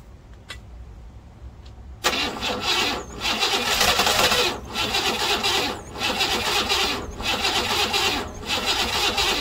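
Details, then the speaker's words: 1968 Buick Riviera parts car V8, cranking on a low battery with suspected timing issues before setting top dead center; starter churns in rhythmic bursts with short pauses, catching only faintly; cranks but won't start. "The battery's getting kind of low and the engine started to slow down a bit. We're having some timing issues."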